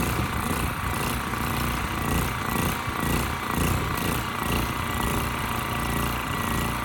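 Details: Westinghouse 7,000-watt generator with rusted gas tank and gummed carburetor, before carb cleaning: note rises and falls about twice a second, uneven and rough; surging, kept on choke to get rid of it, frequency about 75–80 Hz. Gummed carburetor suspected.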